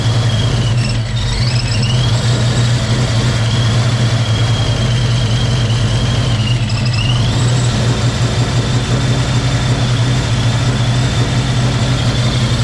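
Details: Project car V8 just after first start in 11 years: uneven lumpy idle with wavering whine above it; rough running, cause unknown, compression test planned.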